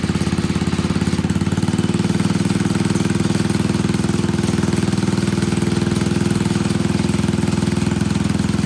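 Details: Old Troy-Bilt Pony rototiller, temporary battery fitted, idling on a little fresh gas: single-cylinder chugging at a fast, steady beat with even firing throughout; idling normally, no misses.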